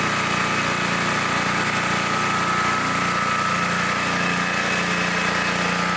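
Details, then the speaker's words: 1960s Bolens Lawn Keeper mower, left untouched by its last owner for at least 15 years, carburetor unadjusted, new air filter fitted: constant buzzing drone holding a steady pitch with no surging or knocking; normal running. "this thing is amazing it sounds good it runs good I have not adjusted the carpetrator at all"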